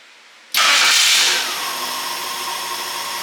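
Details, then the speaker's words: 1954 International R100 with a fresh Ford 300 straight six, hot restart after running, timing advanced a touch: short crank, catches at once with a quick flare, then settles to a steady, even idle; normal hot start. "I got it cranked up a touch, and it turns over fine. So let's try one more hot restart."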